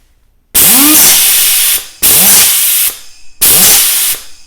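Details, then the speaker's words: Old Allen Air pneumatic sander (made in St Louis) bought used: runs fine freewheeling but stalls as soon as load is applied; bursts of air hiss with short spin-ups that fade, internal air leak from worn O-rings robbing torque, fixed with 4 new O-rings. "but check this out sounds fine sounds fine freewheeling but as soon as I put load on it"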